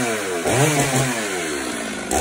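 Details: Stihl two-stroke chainsaw after clearing a flooded, soaked spark plug: catches and revs up, pitch sweeping upward then settling to a steady high buzz, starting at half throttle and running cleanly.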